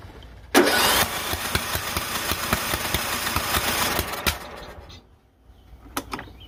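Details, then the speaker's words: John Deere L108 lawn tractor after sitting about a year; fresh fuel added; cranks, catches and sputters unevenly for a few seconds, then dies back; hard start, owner thinks the system just needed fuel. "Get some petrol in here and probably some starting fluid because we're probably going to have to crank this thing a minute to get it to fire up."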